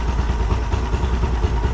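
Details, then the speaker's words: Mercury 50hp outboard on a 16' Bay Stealth fishing boat, after changing gear oil and fixing trim: low, even putter with steady pulses, no misses or knocks; idling normally. "Doesn't sound too bad."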